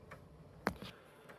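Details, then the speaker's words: Amiga 1000 floppy drive with Gotek virtual drive unplugged, at Kickstart prompt: a few soft, light, unevenly spaced ticks in a quiet room; normal clicking of a drive waiting for a disk. "okay uh hopefully you can hear the disc drive is clicking and I have Kickstart"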